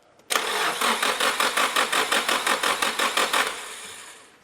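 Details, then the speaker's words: Nissan 180SX on a Haltech Elite ECU, first start attempt after priming with fresh fuel: starter cranks in even pulses near three per second for about three seconds and never catches; no start. "no that's a big no from dave"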